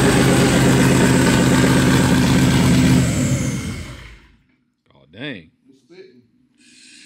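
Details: First start of a 2V 4.6 V8 swapped into a Volvo wagon: a lumpy, uneven idle with spitting pulses for about three seconds before it dies. A red light shows on cylinder three, probably AFR; the cause is not yet known.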